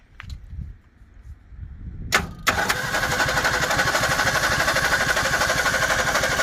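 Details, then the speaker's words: 1961 Ford Falcon Futura parked 20 years, start attempt, some water in the oil, choke possibly needing closing: cranks then runs unevenly with a patchy chuffing rhythm, some cylinders hitting and some not, struggling to settle; sputtering start, cause suspected. "still here some of them hitting and some of them not i don't know if that choke needs to be closed i guess"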